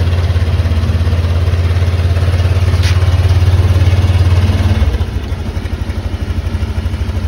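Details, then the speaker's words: Motorcycle just fitted with a new LiFePO4 battery with BMS and built-in active balancer, reading 13.75 V fully charged: one press of the starter and it catches quickly, settling into a steady even idle. This is a normal start. "Kaya nung BMS natin, no? Isang pindot lang, buhay agad."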